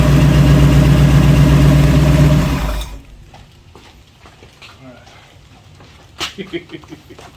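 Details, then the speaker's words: 1966 Ford Bronco after full restoration, first start behind the transmission, previously only run on a stand; steady, even idle at about four pulses a second for a few seconds, then shut off; normal idle. "I'm surprised it it idled kind of that's the first time it's been behind a transmission you know when we cranked it on the stand it was just kind of freewheeling"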